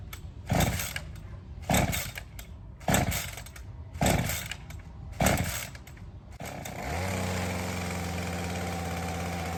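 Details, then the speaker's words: Ryobi CS30 two-stroke trimmer with new aftermarket HiPA carburettor; several pull-start tugs, then steady even low idle with full throaty note, consistent high, okay response, slight break-up at top; normal idle. "The response seems okay. The high seems pretty consistent. I was able to kind of get it to just break up a little bit. The idle is nice and low, but very consistent."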